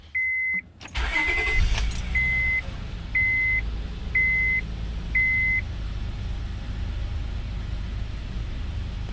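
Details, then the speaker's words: 2003-07 Honda Accord V6 (J30A4), 253,000 miles, just after replacing all six spark plugs: quick crank, catches and settles into an even idle under a chime, with no stumble or misfire and smoother than before. Normal start and idle. "it definitely needed this little tune-up I just seem to be running smoother"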